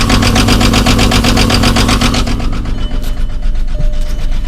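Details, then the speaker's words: 2001 Volkswagen Jetta VR6: lumpy, uneven idle with whole car shaking, steady valvetrain clatter and a stumbling beat about twice a second; misfire, owner suspects something more serious in the valvetrain. "so now you see what's going on with it probably something more serious than just a misfire judging by how that valvetrain sounds"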